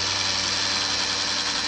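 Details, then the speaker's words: Brand-new Harbor Freight LYNXX 40V chainsaw with bar and chain removed gives a steady, even high electric whine as the motor spins freely. With the chain fitted it stalls and won't run, and the charger blinks red despite a full-charge battery reading. The cause is unknown. "We took the bar back off and the chain, and without that on, okay, fire it up there. It's running,"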